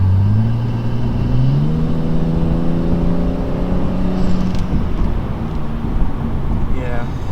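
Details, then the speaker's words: 2015 BMW M235i after installing Turner Motorsports hot-side and cold-side charge pipes to fix hot-side boost leak: engine pulls cleanly, pitch rising evenly with no hiss or flutter; normal turbo spool, leak appears resolved. "i can hear just the turbo like you know just spooling up doing its job exactly how it should so i really feel like we did resolve the issue"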